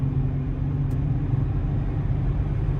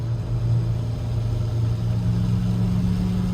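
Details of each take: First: 2009 Nissan Altima at 60–70 mph after both rear wheel bearings were replaced, plus a valve cover gasket and oil change: only smooth, steady road rumble with no growl or rising hum; wheel bearings sound quiet. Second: 2009 Nissan Altima on the highway at about 70 mph: a loud, steady low drone from a bad wheel bearing.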